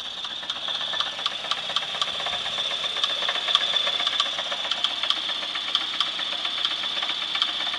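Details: 1996 Chevrolet S10 4x2, 2.2L I4 MPI engine, 146,300 miles, at idle: sharp metallic ticks about twice a second over thin hiss, an internal engine knock of unknown cause; engine may not be salvageable, sold for parts.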